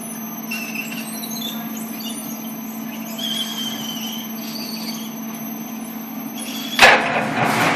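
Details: LEO drive unit: steady high squeal held at one pitch throughout the run, no change in rhythm; source within the unit unclear.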